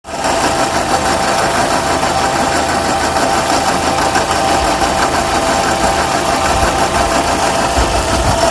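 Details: 2006 Suzuki Forenza: busy, rattly idle with a steady high tick over a thin engine note; abnormal engine noise, cause unknown.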